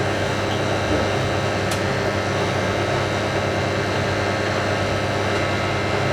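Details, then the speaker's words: Hotpoint 9530 Electronic 1000 Plus washing machine, after repair (burnt neutral wire on mains lead replaced), final spin with twin bedding load: even whirring hum climbing smoothly with drum speed, no thumping, banging or grinding; well-balanced normal spin. "That is probably the smoothest spin this machine's ever done on YouTube. I like that."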